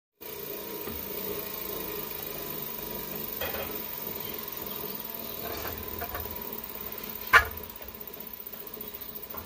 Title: Bad Alternator Bearing Noise & After Replac Bearing Noise